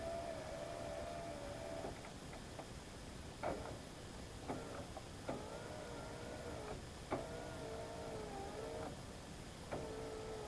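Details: 2011/2012 Subaru Legacy power window, tested after replacing the cable-driven window motor assembly that had stuck in the up position: short, even whirring runs of a second or two, each ending in a soft clunk; the window now operates normally.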